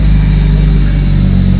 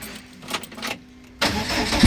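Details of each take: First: 2001 Lotus Elise (year as told), first start after loading modified file to fix no-start; catches promptly into steady strong idle with smooth rev blip, running clean. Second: 2001 Lotus Elise that would not start, fuel pump humming, two wires bridged: brief crank, engine catches and runs a few seconds then dies, repeating every time; stalls after start.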